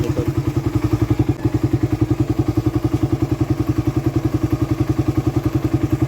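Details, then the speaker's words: Raider 150 carb motorcycle, warm engine: steady quick top-end tapping at about three to four a second over idle, still audible from a distance; absent when cold on first start, appears only once hot; cause unclear. "nararamdaman ko lang naman siya kapagka mainit na yung motor pero kapagka malamig ung bagong andar walang ingay yung motor ko"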